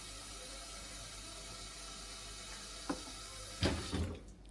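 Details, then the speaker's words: Asko dishwasher in service mode, water inlet test: steady soft rush of water flowing in with a few clanks at the end; inlet filling normally. "press the start and close the dishwasher, where you can hear the water is coming to the machine. That means the inlet is not a problem."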